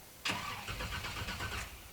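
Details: Flooded 1985 Monte Carlo SS 350 Chevy on its 20-year-old mini starter: one short 1.5-second crank burst to build oil pressure, turning over freely with no hydrolock but not catching; crank, no start.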